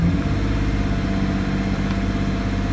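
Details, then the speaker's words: 2006 Mazda 6 with broken throttle body pigtail harness, accelerator floored and brake pressed: low lumpy idle that sounds about to die but keeps running and never climbs; no throttle signal, fuel smell noted. "now it sounds like it's about to sell out and die but it doesn't this will consistently run just as you hear and see it"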